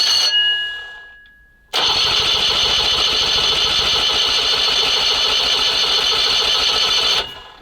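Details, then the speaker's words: SMZ invalid carriage (motorized microcar) first start after long storage: steady starter cranking about four beats a second for over five seconds with no firing as fuel fills the carburetor; no start. "Нам нужно просто сейчас немножко её покрутить и он наполнится поэтому чуть-чуть крутим может даже и запустится пока не запускается"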